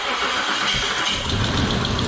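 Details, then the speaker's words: Isuzu Trooper leaking red transmission fluid, restarted after EGR was fixed: engine catches quickly and settles into a smooth, steady idle with no misses or knocks; normal start and idle, a rattling noticed shortly after. "Oh my god, it's a perfectly running vehicle."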